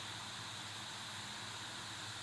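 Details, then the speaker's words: Valve Steam Deck just back from RMA repair: steady airy whir with faint fixed hum that starts almost immediately at power-on and never lets up; cooling fan runs constantly even when idle. "You can still hear the fan going."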